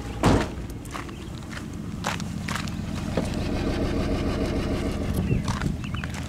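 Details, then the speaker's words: 2003 Honda Odyssey, previously had fuel injector replaced, returning with shudder and power loss, catalytic converter glowing red: startup thump then low lumpy idle repeatedly cutting out; ignition misfire, later traced by coil drop test. "let's start it up see how it runs see if it has a misfire right now oh yeah definitely cuts it miss"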